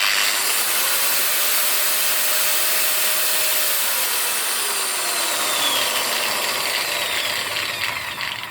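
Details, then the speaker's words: Hikoki angle grinder after nearly two years of heavy use, spinning down: falling whine with rough, uneven rumble instead of a smooth coast; worn motor bearings with play, possibly making the motor struggle. "as it slows down there you can hear the noise of the bearings and it doesn't really feel very sweet and smooth"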